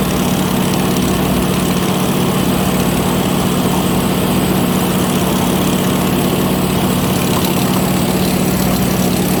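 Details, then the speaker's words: Ford 515 sickle mower on tractor, first easy test cutting grass: constant even drone under light cutting load with no knocks, squeals or grinding; normal mowing operation. "i'm gonna start off easy you know i'm in rope here it's all easy just cutting some grass"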